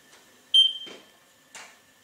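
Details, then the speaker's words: Spectra Precision LL300 self-leveling laser level: receiver gives a single short high-pitched beep while receiving the beam; normal beam-detect beep. "you can hear it's beeping it's receiving the beam"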